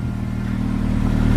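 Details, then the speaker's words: AWD-converted car with new custom driveshaft, open differential, on lift, rear wheels spinning in gear; engine pulls smoothly with even low drivetrain hum, no clunks, no vibration felt inside: normal driveline operation. "back wheel spinning I don't feel no crazy vibration or anything inside the car"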